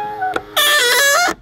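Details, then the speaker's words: Power-folding exterior mirror on a BMW X1 E84, after spraying graphite oil following silicone oil: a loud, high, wavering squeal under a second long as the mirror folds, heard in a quiet cabin, squealing even more than before oiling. "es quitscht immer noch sehr stark boah das hätte ich nicht für möglich gehalten dass das jetzt nach dem Ölen mehr quietscht als vorher"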